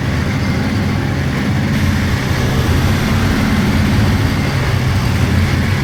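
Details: 1999 Polaris XCR700 triple two-stroke snowmobile, after adjusting belt deflection on the adjustable clutch: burbles at idle, then pulls up with no belt squeal or whine. Jetted fat; clutch engages below 4,000 rpm.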